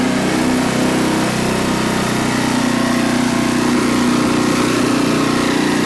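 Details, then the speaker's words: Renovated Troy-Bilt Horse tiller in low gear, tines set deep in rocky soil: steady even engine drone holding speed with no misses or knocks under tilling load, working pretty good; brief belt squeal when a rock was hit, belt could be tightened. "make a make a pass coming back see that works uh working pretty good"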